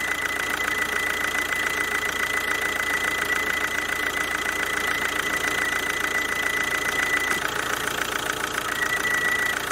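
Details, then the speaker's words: Kia Ceed 2.0 CRDi 140 hp diesel running with a steady high-pitched squeal that mimics a roller, tensioner, alternator or A/C bearing squeal. Both rollers, the alternator bearing and the A/C compressor bearing were already replaced. Cause: the alternator-mounted vacuum pump sucking air through a tiny leak. "na alternatorze jest pompa vakum która pracuje w oleju zenie Myślę że słychać prawda"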